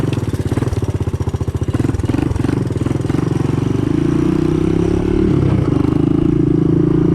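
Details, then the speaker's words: Honda ATC 200S fitted with a Chinese carb, first run in a year or two: rough single-cylinder run with light, quick ticking from the front valve, rising with revs; loose valve clearance needs adjusting. "You can probably hear that front valve there. I gotta adjust the valve clearance, but keep in mind it's the first time this has been running now in a year or two."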